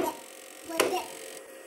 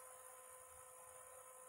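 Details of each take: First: PS2 that won't read discs: a few sharp clunks then a constant rattling grind, about seven ticks a second, on startup and when the tray opens; more than a dirty lens suspected, later cleaned and lubricated laser tracks. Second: PlayStation 2, previously grinding and not reading discs, after fix with laser lens cleaned and laser tracks lubricated with white lithium grease: quiet steady disc whir with faint hiss, no grinding or clicking; disc drive reading normally.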